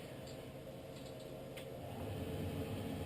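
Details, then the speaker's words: Whitfield pellet stove, cold after sitting, auger pulled, jam cleared and bushings lubed, thermostat raised to 19: over steady fan hum a click, then low motor drone builds as the auger starts feeding normally. "she kicks in so now that she's feeding I'll show you guys how to light this"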